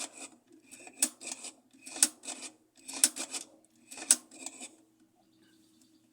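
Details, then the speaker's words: Consul 8 kg top-load washer making a dry rhythmic rasping/scraping about once a second while washing, from worn agitator clutch/brake parts; greasing didn't resolve it, spring tension and pulley part tightness also matter. "e essa peça aqui pessoal e é aqui acaba acontecendo o que ficar fazendo aquele barulho"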